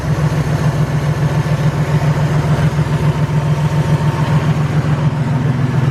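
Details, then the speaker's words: Toyota Tacoma after replacing the noisy idler pulley: a steady, even idle with a smooth low pulse and no ticking or knocking; it runs healthy. "nice nice sounding good so far yep this thing is definitely running spider now"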